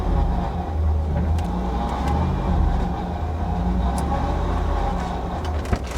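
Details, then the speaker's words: Chevy SSR V8 with 118,000 miles and fresh power steering fluid, idling: faint steady whine over the low rumble, louder with a little throttle, from the power steering pump; owner suspects air still in the system. "yeah there's noise from the power steering pump for sure wow it runs like a top"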